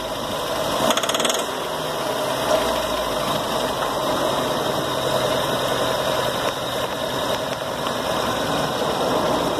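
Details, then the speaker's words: VW Gol petrol engine idling rough with a fast metallic knock in time with the engine. The knock appears when one cylinder's plug wire is connected and vanishes when removed, leaving only a misfire. "Vejam que o barulho agora começou a aparecer, vejam. Olha. Agora eu vou tirar o cabo. O barulho sumiu."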